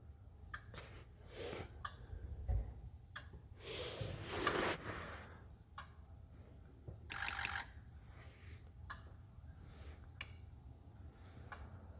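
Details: 2004 Ford 6.0L Powerstroke, rough running; after straightening damaged injector wiring, scanner buzz test repeated: evenly spaced sharp injector clicks with a gap, number two still not firing. Harness replacement needed and valve cover must come off: dead injector.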